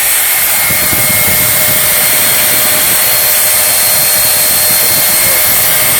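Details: Old bagged vacuum cleaner small motor after repair, at full speed with no speed control: even high-pitched whir, smooth constant tone, no grinding or clicking, no commutator sparking; normal motor run.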